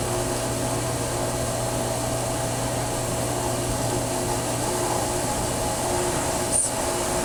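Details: Pool booster pump (PV4SQ) at startup: steady, even motor hum with a low mains drone and faint higher whine. Owner had heard a squeaking noise and suspects the pump, cause unconfirmed.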